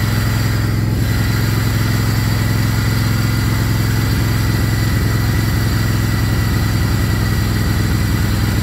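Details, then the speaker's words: Craftsman GT riding mower (model 917.258873) with 18.5 hp Kohler CV18S 624cc V-twin, after carburetor replacement (long a hard starter), air filter off, jumper pack on low battery: even, steady thrum at constant speed, no stumbling, surging or popping; normal running. "all right well appears everything's working good so I'll button it all up again get the air filter put back on and go mow some grass so"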